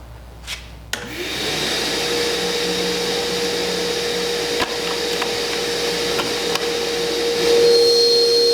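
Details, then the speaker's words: Shop vac inside a sound-deadening Dust Deputy cart, compared door open and closed: spins up to a steady, even rushing whine with no rattles or surging, loudness shifting near the end; normal running. "hopefully it'll come across on camera good enough to be able to see that this did make a substantial difference in the sound"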